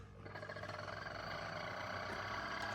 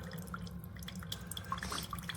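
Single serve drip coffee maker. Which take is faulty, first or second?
first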